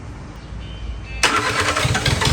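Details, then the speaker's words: Isuzu 4JG diesel engine test-started out of a vehicle, lifted on a forklift, about 5 L of oil added, with no exhaust pipe fitted: it cranks, catches and runs with a loud, raw, crackly bark caused by the open exhaust. "ท่อเครื่องตัวนี้มันไม่มีท่อไอเสียครับผมมันก็เลยเสียงแปลกๆนิดนึงนะครับปลายท่อไอเสียมันไม่มีนะครับ"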